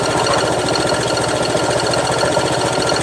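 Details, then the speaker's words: Honda Vario scooter checked with scanner, compression reads tight with no major leak: fast hard rattling clatter over idle, far too loud; source still unknown. "kalau kompresi masih rapat alias tidak kedeteksi bocor bocor parah Enggak tapi suaranya parah"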